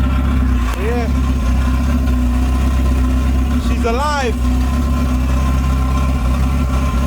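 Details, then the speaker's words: Honda Civic coupe with H2B swap and Skunk2 throttle body, fresh coolant added, idling on a windy day: steady even idle holding without stumbling; idles fine, though TPS issue keeps it from revving past 3k rpm. "as you can see in the video sounds good on idle"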